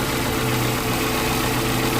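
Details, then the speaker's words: 2012 Suzuki Mega Carry (APV) pickup, engine bay open: steady, very smooth quiet idle hum with no knocks, ticks or rough beats; engine sounds healthy. "Ini aki, ya teman-teman bisa dengar ya, suaranya masih halus banget ya, nggak ada suara yang kasar, protok-protok, tek-tek ya."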